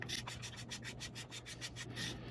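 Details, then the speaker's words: South Bend Spincast 77 fishing reel during service: as the front cover is screwed down, the drag clicker gives rapid, even ratcheting clicks of roughly six per second; it sets the drag and works normally. "once it gets down far enough, you can hear that start to ratchet. That's your clicker for setting your drag, and you adjust your drag by tightening it down more and more, and that'll adjust that."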